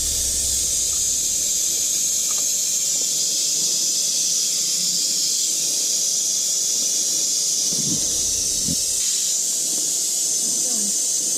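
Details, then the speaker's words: 1983 Mack cabover semi at low engine rumble: a loud, constant high hiss of escaping air. The high-low shifter valve is leaking badly; the truck is not building air and won't engage reverse. "But as you can hear, the shifter's leaking profusely, so..."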